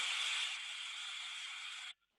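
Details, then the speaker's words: Ultrasonic headset recording of a steam trap cycling normally: a steady high hiss for about two seconds, then a clean cut-off as the trap closes. It opens and closes repeatedly, whereas a failed trap gives a continuous sound. "Et il referme. Voilà pour un purgeur qui cycle."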